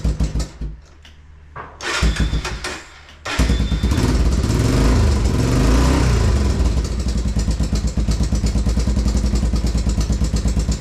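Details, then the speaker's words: 1987 Honda Foreman TRX350 ATV in for service, single-cylinder starts and revs: knock uneven and unrhythmic over the thump, not consistent like valve tick; irregular engine knock, cause unclear. "Knock. Thing with when it's valve tick, it's very consistent. This is a knock, no, knock, knock, knock, no, knock."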